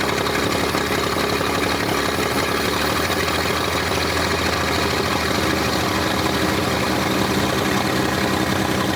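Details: 1947 International Harvester KB3 fuel truck, previously locked up and unrun about 30 years, after engine rebuild with rusted parts replaced: old six settles into steady, even idle with dense rumble, no knocking or stumbling; healthy idle.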